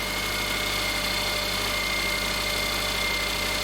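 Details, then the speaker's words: 2007 Subaru Forester 2.5L after repair of a pulley that came apart (harmonic balancer), which had caused loud engine bay grinding: steady idle, even hum, faint belt whine, grinding gone, runs smoother. "i hope you can tell the difference right now this engine runs a lot better it runs smoother the noise is no longer there"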